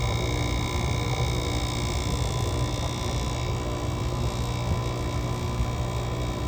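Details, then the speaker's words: GE AWS05LSK1 5050 BTU window AC with a Samsung rotary compressor, cold-started at 15°F outdoors: steady deep hum with a thin whine, no cycling or knocking, as head pressure builds and the coil frosts. "you can see as the unit starts to build up head pressure you notice it's star to frost that's typical on cold nights like this where it's well below 32"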